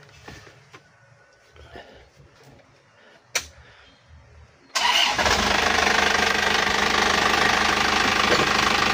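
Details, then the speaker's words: Isuzu Elf NLR 55 diesel after crankshaft-failure rebuild, cold morning start; catches at once and settles into steady, even, soft idle, oil pressure up, no knocks or rattles, only faint smoke; normal. "ini untuk suaranya aman oli sudah naik suara nya udah anteng empuk halus dan normal ya Lur"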